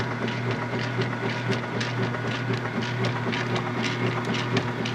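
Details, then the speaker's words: Late-1990s/early-2000s Whirlpool direct-drive washer, full load, normal/low-speed agitation: crunching clicks about twice a second over a steady motor hum are the agitator dogs, a little noisy but grabbing every time; normal. "The crunch, crunch, crunch sound are the agitator dogs. A little noisy in this machine, but they work perfectly. You see, they grab every time."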